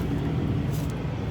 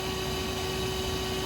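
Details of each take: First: Truck idling after replacing the leaking trailer lift-axle air line; steady engine rumble with no hissing from the new line, which now holds pressure with no air leak. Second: Truck trailer lift axle airline broken by highway debris: constant airy hiss over low steady drone; air brake line leak.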